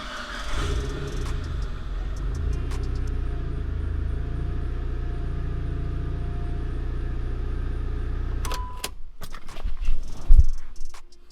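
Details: Mitsubishi Evo IX after oil pressure sensor swap for a flickering then constant oil light: steady, even low idle with no ticking or knocking, then shutdown; the light stays on despite about 80 psi measured, owner suspects wiring.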